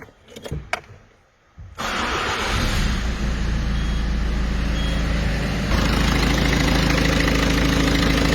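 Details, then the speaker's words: Peugeot 206 2.0 HDi 90 (2003–2004), timing belt previously overtightened by a service centre, now retensioned correctly: starter whirr, then steady, even diesel idle clatter; the earlier belt-overtension noise is gone. "voilà donc là on a plus de bruit tout est bon"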